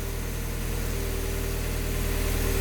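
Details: Project car at operating temperature after a coolant leak repair, cooling system pressurized and thermostat open, being rechecked for leaks: steady, even idle with a smooth low rumble and no knocks or misses; normal.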